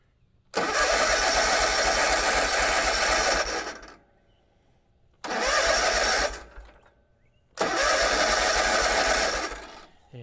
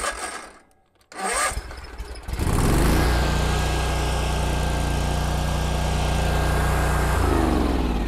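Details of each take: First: Kubota Z122R Kommander mower after a new fuel filter: three cranking bursts with an even churn but no catch, a no-start; fuel pump not pumping and the new filter is bone dry. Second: Kubota Z122R Kommander mower with new carburetor: short crank, then catches and settles into a steady, even idle once the choke is off.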